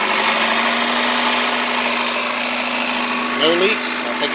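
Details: 1989 Chevrolet Celebrity 2.5 four-cylinder automatic, 255,000 miles, after coolant temperature sensor replacement and fluids topped off: steady, even idle hum with no pinging or rattle; runs smoothly, repair fixed the poor running.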